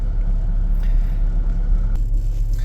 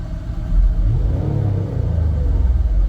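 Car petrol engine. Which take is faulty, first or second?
first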